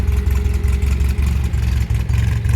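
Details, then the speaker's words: 1967 MGB Roadster, warm on a hot day with the cooling fan running, idles evenly with a smooth, steady low beat and no knocking or ticking; older restoration, engine sounds healthy at normal idle. "as you can hear it's uh ticking over quite nicely it's quite a hot day hence the cooling fan is kicked in"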